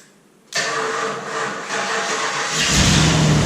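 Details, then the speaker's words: Ford Bronco cold start after sitting unrun for about a year on a humid morning: the starter spins about two seconds, then it fires right up with a deep rising rumble. It settles to a strong, even idle through straight-pipe dual exhausts. "she's alive actually fired right up shaking around I'm here to take several mini cranks to get this thing fired fired right up"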